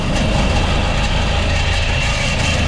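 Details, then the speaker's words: Walk-in cooler used as garbage-room air conditioning: one evaporator fan gives a loud, harsh, steady roar with rough rattling hum, the other sounds okay; worn evaporator fan motor with shaft play. "So, sheesh, things making noise. I can tell you right now, the problem is with this one. That one sounds okay."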